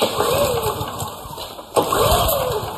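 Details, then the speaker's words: Honda generator after years of service, rope pulls: engine catches briefly then dies each time as oil alert lights red; low-oil sensor in crankcase cuts it off when oil drops below dipstick level. "so if we pay attention to the oil alert almost started but it saved itself because the oil alert is going red you guys hear that it wants to start"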